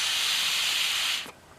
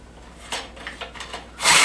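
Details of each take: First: 5HP Briggs rototiller fuel cap vent cleared: steady airy hiss for about a second, then cuts off, air now passing; previously blocked vent pressurized tank, pushing fuel out carburetor base gasket and choke; after fix, retuned and no leak. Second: 5HP Briggs rototiller after fitting double carburetor-to-tank base gaskets: a few pulls, then it catches into a busy, uneven, hunting idle; hard to tune, often running rich, fuel cap vent suspected.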